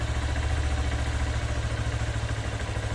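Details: Honda CB190R single idling in neutral just after an oil change to 20W-50 full synthetic plus Lucas oil stabilizer: steady, even low putter with no knocks or rattles; a healthy idle.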